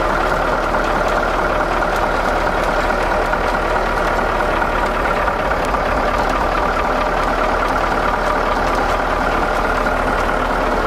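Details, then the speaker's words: Diesel in Finnegan's ramp truck idling: a rough idle with a light, uneven tick about twice a second; a weak injector on that bank was suspected, later thought to be air in the fuel as it faded. "we had a injector that was sounding kind of weird at least that's what aaron diagnosed that ticking as um as it came off of idle any kind of rev that would go away so he said it sounds like a weak injector"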